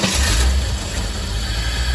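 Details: Corvette with a suspected fuel problem (fuel pump relay tested good) finally starting after fuel pressure built and a jump start: a steady, deep, even rumble with no misses or knocks, running smoothly.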